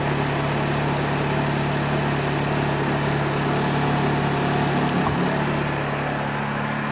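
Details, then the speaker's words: Honda EU2000i generator after carburetor cleaning, warmed up and powering an RV air conditioner, eco mode off: a steady, even drone with a constant low hum, no surging or misses, holding speed cleanly under load. "Okay, so we've got good power."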